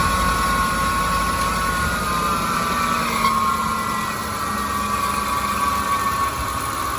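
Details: 2006 Ford F-150 engine idling on a cold day with a steady high metallic whine and rough grinding edge. The alternator was suspected first, but the noise comes from a dry idler pulley bearing hidden under the air intake.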